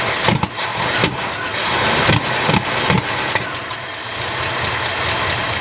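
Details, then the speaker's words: 1972 Ford F-250 after sitting at least 14 years, spark confirmed: on first start it catches in ragged stumbling bursts, then settles into a rough steady run; owner suspects it is burning crud out. "hey guys we got her started at least here for a little bit uh probably just burning some crud out of it"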